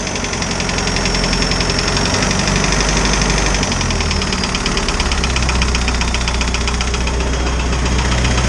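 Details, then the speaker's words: Isuzu 4BD2T diesel in a Spryte snowcat, with a new head fitted after an exhaust-to-coolant leak and the valves adjusted: idle with a fast, steady light clatter of about four ticks a second. One valve still needs adjusting. Ticking at idle. "sounds like i need to adjust the valves a little bit better [Music] i got one valve in there that's just been [Music] annoying"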